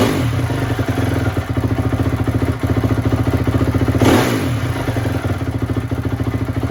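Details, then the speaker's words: 2004 Honda CRF250 single-cylinder after rebuild: crisp thump picks up cleanly on throttle blips and settles back evenly, no stumble or misses; running healthy. "it's running really good now so uh with that said uh if you guys want to stick around after I'll start the bike one more time and rev it up a little bit"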